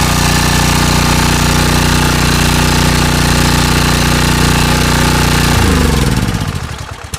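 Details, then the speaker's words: Small single-cylinder engine after carburetor bottom reinstalled, fresh fuel and new air filter: runs loud, fast and steady with even beat, then shut off and coasts down; normal running. "So again, very cool. Um, I love the fact that this thing still works."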